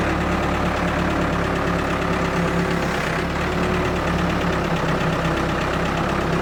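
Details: Ford 655A backhoe, abandoned after owner died, diesel engine at steady low idle with hydraulic hum, no knocks or misses; engine sounds good, very minimal blow-by, healthy normal running.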